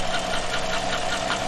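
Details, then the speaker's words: 2014–2015 Chevy pickup with L83 V8 at idle: light, quick metallic tick about five a second at camshaft speed, quieter than a collapsed lifter, indicating a top-end valvetrain lifter tick rather than bottom end. "k that is definitely a top end tick now if i was taking twice that speed it would be a bottom end tick so the speed of the tick is critical here in diagnosing where that noise is coming from"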